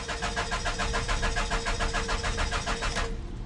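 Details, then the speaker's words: Dodge not started for about two weeks, jump box connected, no trouble codes: steady starter cranking about 3.5 beats per second for three seconds without catching; crank no-start, fuel problem suspected, fuel pump suspected. "yeah uh it's probably a fuel problem it feels like anyways"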